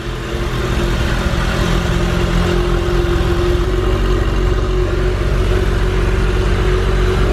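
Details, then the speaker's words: 1995 Ferrari F355, straight-piped with F355 Challenge race engine, new clutch, first startup after sitting years: loud, deep V8 idle, steady and even with a slight cammy lump, no knocks or rattles; normal idle. "wow really good i like that you're that little bitty camp right yeah it sounds slightly camped"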